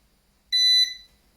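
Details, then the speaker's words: Eaton 5E 850i 850VA/480W UPS on battery under low router load, powered back on after shutting off at 17% charge: one shrill beep of about a third of a second, its on-battery warning. "yeah and again you can hear the beeping are you kidding me ah disabled status look at that"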